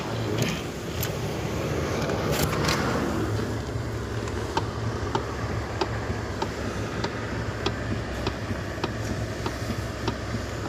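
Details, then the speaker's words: 2015 Lexus ES350 steering clicking: sharp light clicks about 1.5 per second at idle while turning, confirmed from lower steering column; steering shaft assembly suspected, column to be removed to check. "so I confirm the problem the noise just came from uh steering colum downside"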